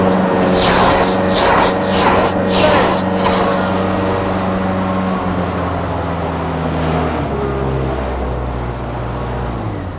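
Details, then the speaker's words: Profire dual-chamber truckmount carpet cleaner with 4-cylinder Kubota engine, run from idle through first and second speed: steady even drone with strong vacuum blower hum, no misses or knocks; normal running at high speed. "Here it is, in idle. You can hear the vacuum on it. Now let's move it up to first speed. Let's go to second speed."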